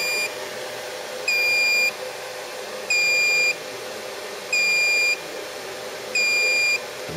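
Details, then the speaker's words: Chenbro RM314 3U server build with AMD CPU at boot: steady high-pitched beeps, about one every 1.6 seconds, over constant fan hiss, alarm signalling one fan is disconnected. "So, if I just turn this on, that noise beeping is just to say that one of the fans is disconnected."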